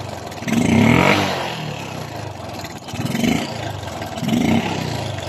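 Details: Suzuki Smash 115 motorcycle engine revved before its timing chain was replaced: a dry metallic clatter rises with each increase in revs, a loose timing chain slapping.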